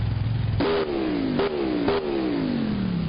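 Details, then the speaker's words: Engine revved in a final test after fixing a thrown fan belt with a little adjustment; still loud. Three quick blips, each falling cleanly back to idle, with no belt squeal or slap. Normal revving. "Seems okay now, though, with a little adjustment."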